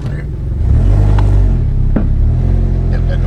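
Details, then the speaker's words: Mitsubishi Evo MR (all-wheel drive, 300 horsepower) pulling hard under load while driving, then a sharp metallic clunk through the driveline, identified as the worn axle that is being replaced along with spacers. "that noise. Oh, that's the axle. That's what we're changing."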